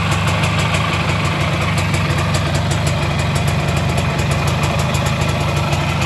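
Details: 1973 IZH Planeta 3 6V two-stroke with new digital ignition (old switch assembly, short-to-ground wiring harness): steady, even idle with regular light ticking on top, no misses or stumbles; engine running healthy.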